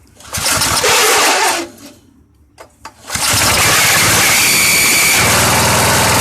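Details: Free push mower on 90-octane pure gas, pull cord troubled: first pull dies, next catches and settles into a steady, even buzz; runs on its own, sounds healthy.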